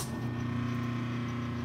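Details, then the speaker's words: 1978 Kenmore 70 Series washer's motor run unloaded with no belt attached, as if the belt broke: steady low hum, constant pitch, no grinding, rattle or bearing noise; motor sounds perfectly healthy. "but this is what the motor sounds like sounds perfectly healthy"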